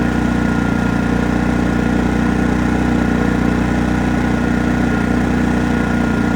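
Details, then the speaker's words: Genmax GM7500 iAED dual-fuel inverter generator at low idle after start: steady even low drone, no knocks, misses or surging; slight rattle likely from remote start handle; normal smooth idle. "I ain't going to hear it so you can hear how smooth she's running"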